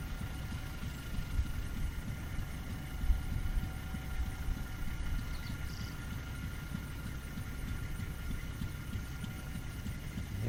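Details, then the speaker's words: Pulling unit's pump jack engine, probably fed gasoline to get it going, running before the unit pulls off: low, steady rumble with even firing, no knocks, misses or surging; running okay. "sounds like it's running okay. I like to have them going before they pull off."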